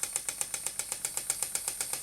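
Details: Stuart model "donkey" steam water pump (6 cm3, no crankshaft, slide valve, rated 40–400 strokes/min) running slowly on compressed air from a small compressor; crisp even ticks about seven a second, light hiss, no knocking, normal running.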